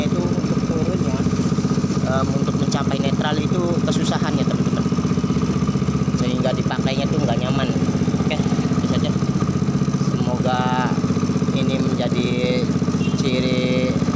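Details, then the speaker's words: Honda Grand motorcycle after engine overhaul, engine normal: single-cylinder idle stays fast and steady, about three firings a second, high however often adjusted; carburetor faulty. "walaupun kita setel langsung untuk berkali-kali pun dia langsanya bakalan tinggi terus dan perpindahan giginya"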